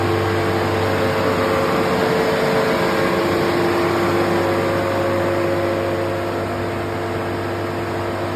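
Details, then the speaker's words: 2013 Ford F450 6.7 Power Stroke diesel, warm with oil at about 195°F, after repairing the P02F1 cylinder 4 injector circuit fault: steady, even firing with no miss, power balance smooth; runs healthy and is fixed. "It's nice and smooth. Engine oil temp is up to about 195."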